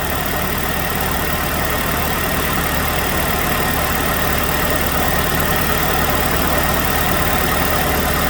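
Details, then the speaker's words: 2006 Chevrolet Malibu 2.2 Ecotec four-cylinder after temporarily fitting a used ignition control module in place of the failed one; steady, even idle, definitely running on all four cylinders with ignition waveforms on both circuits; normal. "i'm going to start it up now and see if we've got ignition waveforms on both circuits it's definitely running on four cylinders now"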